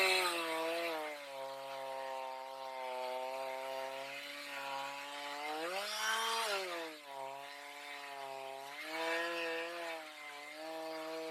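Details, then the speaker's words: Stihl MS310 after carb adjustment (set four-stroking rich, LA screw reduced until chain barely creeps), cutting very hard cedar: clean, steady two-stroke note that bogs slightly in the cut and recovers; runs properly, but dull chain with rakers too high. "She'll cut a lot better, but she's running like she's supposed to, and that cedar wood is extremely hard."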